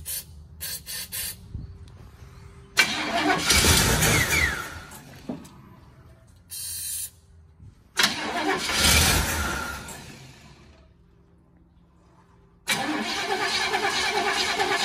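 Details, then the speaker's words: 1968 Chevrolet Impala convertible, long stored outside, choked, with a little fuel spritzed in and the carb bowl dry so fuel must come from the tank: two multi-second bursts of steady cranking without a catch. Cause suspected, not confirmed. "it'll have to get it from the tank eventually I wish we had a little bottle of gas we could fill the bowl up"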